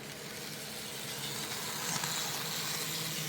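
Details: BNSF 5719 model locomotive after a quick mechanical fix, on the track passing faster: faint even high whirring hiss swelling slightly as it passes; runs smoothly.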